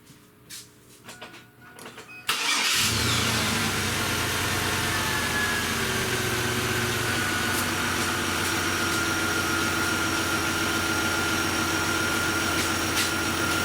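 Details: 1999 Chevrolet S10 4.3L V6 cranks briefly, catches quickly and settles into a steady, even idle with no stumble or misfire, after plug wires that had been mixed up on the distributor were retraced.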